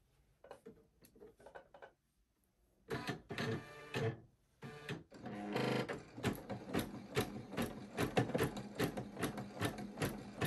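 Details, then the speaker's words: Husqvarna Viking Jade 35 embroidery machine after oiling, stitching a few stitches: even, rapid stitching clatter, no more squeaking; runs smooth. "Sounds much better. Like, there's no more squeaking or anything. Do y'all hear that? Smooth."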